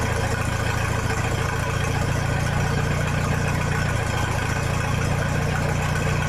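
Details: 1966 U302 Super idling under its own power after earlier rebuild issues were corrected: a loud, steady, even idle with an open unmuffled bark and no knocks or misfires, sounding healthy.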